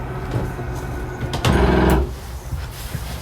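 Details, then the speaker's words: 2022 Coachmen Catalina 343BHTS RV bedside slide-out: motor whir, then a brief half-second rough gear grind as the slide hits its stop at full extension; sounds scary but is normal. "you hear that little gear grinding noise you know you're fully extended"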